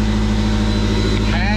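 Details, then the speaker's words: 2013 Fiat 500 Abarth MultiAir with 34,169 miles, wrecked in front, exhaust sheared off up front and boost tubes broken: loud, deep, droning idle with a harsh rasp and a couple of revs. Loud idle from exhaust leak and broken boost tubes. "it sounds pretty good give a couple revs the exhaust is sheared off up front so a little bit of redneck camaro white trash sound but i kind of like it"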